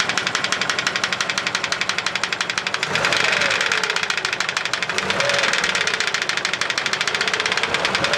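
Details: Engine knock on a Volga, likely a GAZ-24: fast, sharp metallic ticking at a steady rate over the idle that persists as revs rise slightly, a knock of unknown origin.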